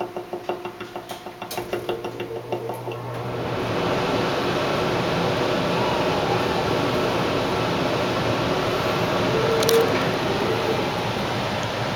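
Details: Carrier central AC unit bangs only with the fan on AUTO when it is over 80 outside, not if the blower runs constantly: quick, even knocking about three times a second, then a steady rush of air as the blower takes over.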